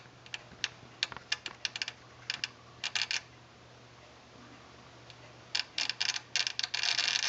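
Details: Old Sony STR-DA555ES home stereo receiver that suddenly began clicking while watching TV: sharp dry clicks in uneven bursts ending in a rapid chatter.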